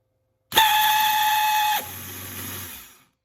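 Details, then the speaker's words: Replacement starter motor for a 1984 Honda CBX750, tested on the bench: loud high-pitched squeal that stops abruptly then winds down; Bendix gear shaft visibly loose, defective unit suspected. "So yeah, sometimes it'll just squeal like a pig."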